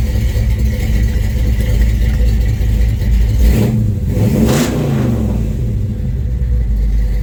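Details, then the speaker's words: 1971 Chevrolet C20 small-block V8, just timed: deep, even rumble with a clean rev blip rising and settling smoothly, no miss or knock; runs normally. "Yes, runs pretty good. Runs real good, real nice."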